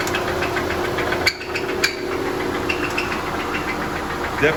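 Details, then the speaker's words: Audi 2.0T TFSI engine running: a few sharp irregular knocks over the idle. Suspected rod knock in the bottom end; engine believed junk. "sounds like a rod knock something's not so happy in the bottom end"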